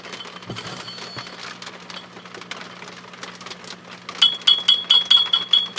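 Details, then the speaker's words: HP 400H AC voltmeter: each light tap on the input 6CB6 tube shield sets off a clear ringing ping that hangs briefly; microphonic input tube. "listen to them tapping very gently on the 6cb6 tube shield microphonic okay now i think you can see that this is the bottom of the six cb6 every time i tap that"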